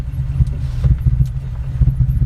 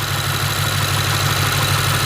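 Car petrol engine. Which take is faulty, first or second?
first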